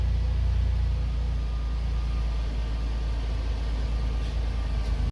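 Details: Van idling just after start, the alternator charging the weak-quality battery at about 14.4–14.5 V: a steady, deep, even rumble with no knocks, misses or whine until it cuts off. A normal smooth idle.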